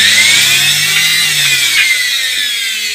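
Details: Indesit washing machine motor on test stand after brush replacement and lubrication: steady high-pitched whir, even throughout with no knocking, crackle, pulsing or surging; motor runs smooth and healthy.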